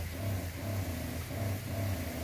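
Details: DIY 12 V soft wash setup, entry-level pump run from a marine battery: low hum rising and falling about twice a second in a steady surge while still spraying; owner suspects an air leak or too little water, not confirmed.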